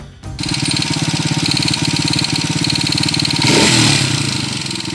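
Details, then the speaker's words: TMX125 Kaliskis single converted to 200cc, back two weeks later with noisy engine: quick light ticking, about three or four per second, over idle, swelling with a blip; loose valve clearance, to be readjusted. "So ngayon bumalik siya dahil malagitik na yung kanyang makina. Okay, so ngayon ang gagawin natin dito ay i-readjust lang natin yung kanyang valve clearance."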